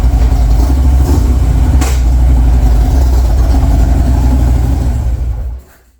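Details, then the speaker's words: 2014 Harley-Davidson Street Glide after lower rocker box gasket replacement for a rear rocker box leak: deep even V-twin rumble at steady idle, no top-end tapping, clean shutoff; runs perfectly, no leak. "so i shut it off turned it back on again sounded perfect the next morning i took it out for a 40-mile ride it runs beautifully"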